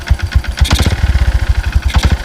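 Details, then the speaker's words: Yamaha Byson 2012 single-cylinder after 10,500 km touring, kick-started, idling: deep regular thudding connecting-rod knock with hollow intake huff from open filter; fairly severe, owner suspects internal damage from burning oil. "kedengaran suara Open filter nya trus ada suara sang Syekh yang sudah kocak dan ini sebenernya cukup lumayan parah ya"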